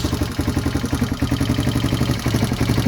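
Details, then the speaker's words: Barn-find 1978 Honda XL250 single idling after new timing chain, mudguard fitted; fast, even ticking about four times a second over the idle from tappets deliberately left loose, intake tappet, no cam noise; tappets still need setting. "Right, there she is running. I've slipped the mudguard on now. You can still hear the tappets. I've left them"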